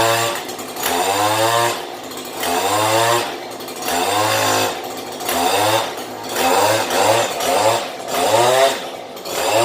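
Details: Stihl HL94K hedge trimmer after cleaning the blades: two-stroke revs up and drops back about every three seconds, picking up cleanly with no blade chatter; runs smoothly.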